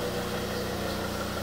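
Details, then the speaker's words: Volvo S80 D5 five-cylinder diesel idling with the engine cover off, so louder, after a fuel filter change: steady, even clatter with no misses or knocks. Normal idle. "i'm really gonna spoil the sound of this d5 obviously the engine covers not on so it does make a lot more noise"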